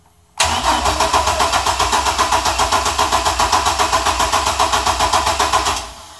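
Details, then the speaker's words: Cold Chevy S10 engine cranks steadily at about four turns a second for over five seconds with a gas smell but never fires. Owner suspects the coils get no power while cranking, so it only starts when the key is released. "Smell the gas. Crank that baby up. Junk."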